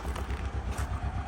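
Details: Car at auction. A deep, lumpy idle with uneven low thumps, the engine visibly shaking and smoking black: a misfire.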